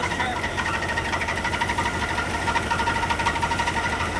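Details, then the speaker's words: Jeep YJ running after new alternator fitted: thin steady high squeal with light pulsing; one squeal eliminated but a different one remains, owner suspects the harmonic balancer, not confirmed, engine squeal. "she's still squealing it's a different squeal though so we eliminated one of the squeals and now we're having another one theory on it right now we think that it's the harmonic balancer not sure yet"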